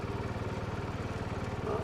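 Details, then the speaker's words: 1970 John Deere 110 garden tractor single-cylinder running after reassembly: even low chugging thump, steady firing, no knocks; runs pretty good, a little smoky, owner wants to swap a spring for the red spring to make it more responsive. "it's run pretty good but yeah I want to replace that spring for the red spring in there the barrier became much more responsive"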